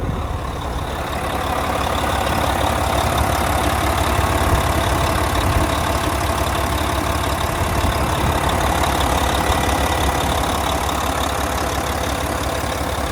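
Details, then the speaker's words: 2014 Volvo VNL day cab with a D13 diesel and 13-speed manual, 600-something miles, heard with the oil filler cap off. Deep, steady chug at idle with an even beat and no knocks or misses; normal healthy idle, no check engine lights. "I'm gonna take the oil filler cap off. I'll let you have a listen to the engine running."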